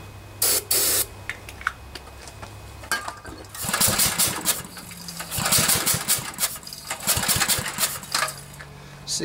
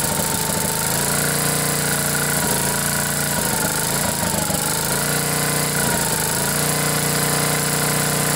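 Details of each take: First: Briggs & Stratton 10 HP engine on a generator, new spark plug, has fuel and spark but won't start: pull-start cranking gives airy puffs instead of firm compression, suspected and diagnosed as a blown head gasket. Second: 10 hp Briggs & Stratton generator engine after blown head gasket replaced and head bolts torqued to 165 in-lb, choke held open by hand: catches and runs at steady buzzy governed speed with brief dips and recoveries; normal running.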